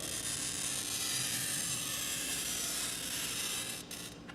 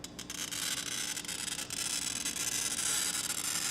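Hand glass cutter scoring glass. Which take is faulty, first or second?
second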